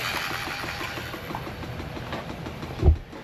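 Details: 2013 Mercury 250 Pro XS Optimax outboard on the flusher after a Chris Carson carbon fiber reed valve upgrade, oil pump prime completed: steady, even low pulse with a light ticking pump rhythm, no odd knocks; a normal idle.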